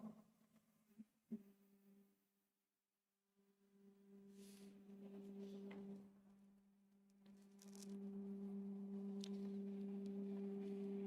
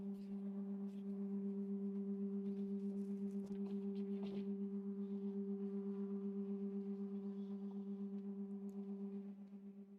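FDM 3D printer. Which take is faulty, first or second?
first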